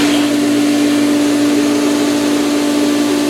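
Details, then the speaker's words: Pool pump at start-up in filtration mode, camera leaning on the plumbing pipe, filling the solar heater: steady motor hum with a rushing, airy wash as the pump spins still drawing air, not yet primed. "Is filling the solar. It's going to take a moment or two."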